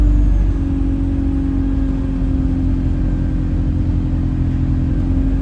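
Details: Chaserider 497 (YX67 UYA), Alexander Dennis Enviro 200 E20D diesel bus, felt sluggish: a steady whistle holds its pitch over the low diesel rumble. The noise later turns horn-like; owner suspects the gearbox, as it was much louder towards the front. Not confirmed.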